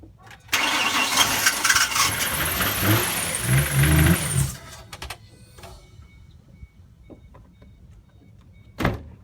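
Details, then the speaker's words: 2005 Ford Mustang 4.0 V6, crank no start: starter churns, engine catches, runs rough a few seconds and dies, bogging when given gas; clogged catalytic converters suspected, to be gutted. "okay when it does turn on it box down as soon as I give it gas it bogs down"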